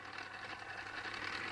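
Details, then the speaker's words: Tamiya Display Turntable, newly assembled and spinning before any grease was applied: a fine, steady buzzy rattle with an even whirr; the cause is suspected to be the gears, not confirmed. "this is quite nice quite nice indeed though can you hear the rattle"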